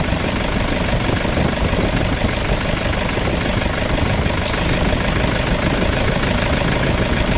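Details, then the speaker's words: Toyota Vigo after replacing the AC evaporator, drier and valve, compressor oil change and new bearing, system not flushed: steady, even idle hum with AC cycling normally, no knocks, squeals or grinding; cooling normal, ready for delivery. "ความเย็นทำได้ปกตินะครับแอร์ตัดต่อปกติทุกอย่างก็แกเย็นพร้อมใช้พร้อมส่งงานครับอ่า"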